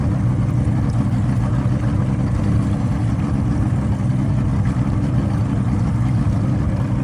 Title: Motor misfire after it stalled